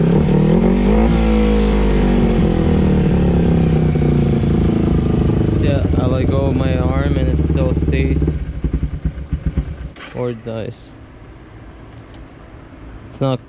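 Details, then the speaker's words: 2011 Kawasaki Ninja 250, carburetors cleaned and adjusted, not fully warmed but same when warm: revs rise and hang high, dropping back very slowly after throttle closes, then sag and stall; hanging idle, slow return to idle. "The main issue is when I give throttle, it drops very slow, or it stays there."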